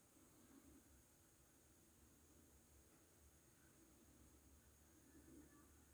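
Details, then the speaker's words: Technics RS-TR212 cassette deck after replacing a broken plastic gear: the mechanism runs very quietly with faint low hum and hiss, the earlier clicking gone. "Okay so the piece of plastic gear has been replaced with another piece of plastic gear so the clicking noise is gone"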